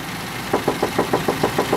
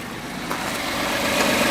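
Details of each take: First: Ford F-150 at about 104,000 km, after recent engine work including timing: sharp, even ticks about six or seven a second over a steady idle, tapping when cold and fading once warm. The owner suspects a valve; the cause is unconfirmed. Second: F-150 with about 104,000 km, warm and idling; a tapping that sounded like a valve, heard mostly when cold, is gone, leaving a light, quick ticking that is just normal fuel injector firing.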